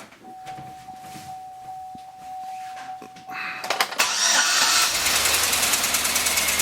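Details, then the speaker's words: LS-swapped engine, freshly installed, coolant not yet filled: catches after a few cranking turns, then an uneven, stumbling idle with a skipping beat, one cylinder missing; not a broken plug or a loose plug wire, cause still being traced. "But it's missing for some reason. We gotta figure that out."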